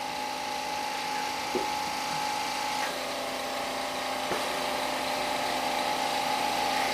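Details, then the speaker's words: Oxygen generator compressor, previously not turning, started after a flick: it settles into a steady, even mid-pitched hum with a soft regular pulse, no knocking or grinding, and oxygen and pressure are produced. Normal running; suspected dirty compressor, to be oiled. "sounds good so far we got oxygen and there's our pressure valve hey i think we got it fixed"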